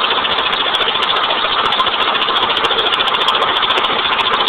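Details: 1989 Honda Accord with blown engine that died on the road: rough idle with a hard, fairly regular knock about three to four per second; badly damaged engine knocking at idle.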